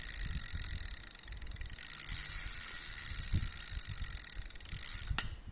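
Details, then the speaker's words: Olympic 150 spinning reel, Japanese-made: smooth, even fine ticking from the gears and bail as the handle turns forward and backward, with no grinding or catches; a healthy reel. "การกลับทำงานปกตินะครับหมุนเดินหน้าถอยหลังได้ครับ"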